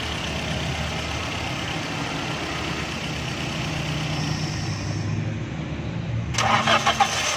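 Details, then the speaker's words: 2008 Toyota Corolla after repairing the sensor wire that caused the no-spark, no-start: engine catches and settles into a steady, even idle without stumbling; starts and runs normally. "देखें दोस्तों, ये गाड़ी बिल्कुल सही हो गई है। इसकी वायर का सेंसर की तार का मसला था, तो हमने इसको रिपेयरिंग किया है।"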